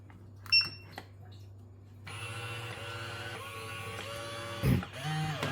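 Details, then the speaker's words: AlfaBot X8 window cleaning robot, reassembled during a water-spray fix, suction motor off: after short beeps a small spray pump motor starts with a steady, even hum and whir, no grinding; pump runs normally. "Turn this on, and the suction motor is quiet now. So now you can check and hear the sound of these spraying motors."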